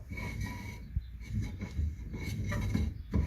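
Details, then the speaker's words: Orange MK1 Ford Escort panel van, brakes revived after 30 years: rear drum turned by hand after shoe adjustment gives a faint scraping rub each rotation, the shoes just kissing the drum; light contact judged correct. "I can feel it making ever so slight contact. I can hear it making slight contact, but only a little bit."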